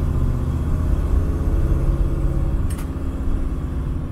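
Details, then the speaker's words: 1967 Camaro V8 with ACES Killshot EFI and two-speed Powerglide, timing steady at 15, revving smoothly to 2,200 RPM; deep, even rumble pulls up cleanly with no stumble, miss or knock; healthy smooth acceleration. "it's beautiful 2,200 RPM remember it's a two-speed power glide it's beautiful it's beautiful it runs like a champ"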